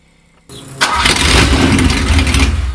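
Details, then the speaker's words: Ferrari 308 started with no silencer, open pipes; starter whirr then engine catches into a very loud, raw, crackling roar with no muffling, run briefly while new exhaust awaited. "I thought I'd try and start the car without a silencer on so basically open pipes and we'll hear what it sounds like"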